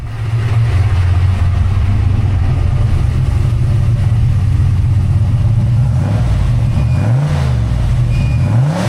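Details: Fresh rebuilt 363 V8 (new Diamond pistons after melted pistons) with Holley Smart Coil ignition and Terminator X EFI, idling stationary after first start, air-fuel leaning out; deep steady burble with a few light blips, no ticking, knocking or leaks; normal idle.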